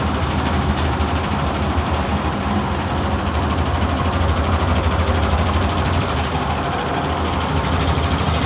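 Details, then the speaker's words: VRF air-conditioning evaporator blower shaking and unbalanced: heavy steady rumble with an uneven throb about twice a second from a loose, worn drive belt. "defeito tá aqui ó na Correia tá vendo aqui ó olha isso aqui ó Correia frouxa certo desbalanceada o equipamento começa a tremer toda a balançar toda ali"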